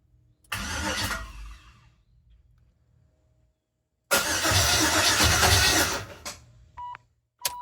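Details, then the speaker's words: Clutch S10 truck with LS swap, first start attempt with coils unplugged, fuel pump running: two cranking bursts without starting, the cranking beat lopsided and galloping rather than an even chug. "I'm gonna be honest, that didn't sound great. Had a little bit of a gallop in it."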